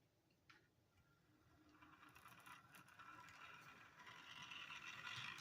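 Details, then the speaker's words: HO-scale Bachmann Spectrum model locomotive, likely a GP30: a faint, high-pitched whirring buzz with a fine rattle that builds as it runs. Owner suspects the steel around the motor amplifies it; stuffing with foam and Velcro tricks did not help. "ng but I think that is what is uh causing the sound you know so much steel uh around the motor and whatnot giving it amplification possibly"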